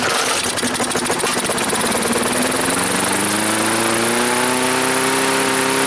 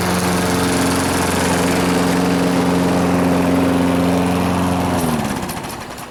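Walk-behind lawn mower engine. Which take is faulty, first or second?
first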